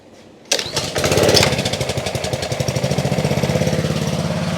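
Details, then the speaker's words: Trash-picked Ryobi 3100 psi pressure washer with Honda GCV190, made 2018, warming up: catches after a moment, steady even putter without stumbling or surging; no leaks, runs well. "seems to work just fine pretty cool I don't see any water leaks either it's all dry it runs pretty well nice"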